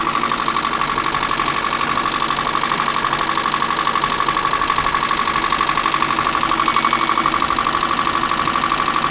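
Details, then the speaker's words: Diesel vehicle, likely parked up for a while, just started, oil leaked out on startup; clatter with steady pulsing beat about three per second and buzzy edge, running rough; crankcase pressure suspected, may come around, unconfirmed. "Had some oil leak out when it started. Oh, I think there might be a bit of crankcase pressure there, but it might come around."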